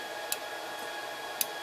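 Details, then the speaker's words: Two crisp, light clicks about a second apart as the spindle is cranked up by hand into the Z limit micro switch at the back corner of a 6040 CNC running Mach 3; the switch actuates cleanly and works normally. "There's a micro switch back in that corner, and I want you to hear it click."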